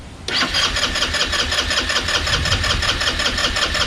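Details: Chinese scooter engine sitting 9 years, with no fuel reaching the carburetor yet; fast steady cranking whir about two to three beats a second, no firing; turns over but won't start.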